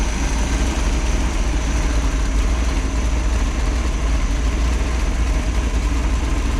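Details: Freshly rebuilt 1968 Pontiac 400, high-compression small-valve heads, new cam and corrected intake after a failed cam swap, Melling 60 lb oil pump, during break-in. Deep, steady idle with a slight cam lope, no knocks or ticks. Healthy.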